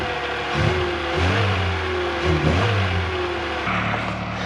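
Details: VW Golf Mk3 four-cylinder running after its in-tank fuel pump motor was replaced: revs rising and falling smoothly over a steady hum; running normally again but still smokes a bit.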